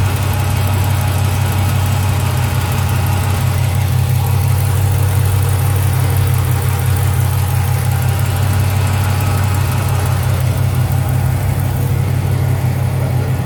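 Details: 2007 Chrysler 300 SRT8 6.1 Hemi V8 idling, with cold air intake, 180 thermostat, catch can, long-tube headers, SLP catback: faint even tick about three per second, lifter or exhaust leak suspected; also high-rpm misfire, P0300, no debris in fresh oil.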